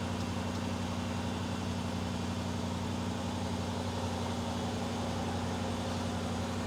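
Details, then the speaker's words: Range Rover Sport with 114,385 miles, original red coolant, starting and idling; smooth, even low hum with steady pitch and no knocks or misses; engine idling cleanly and healthy. "See, I told you. Mint. That sounds really good."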